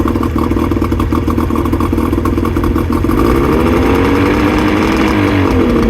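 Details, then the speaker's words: 2000 Johnson 50hp two-stroke outboard, first run after starter fluid sprayed in carbs: uneven lumpy burble idling low, slightly rising; idles lower than it should, needs a tune-up with adjustments. "part two is going to be a tuneup as you guys could probably tell it needs a bit of a tuneup it's not idling quite as high as it should"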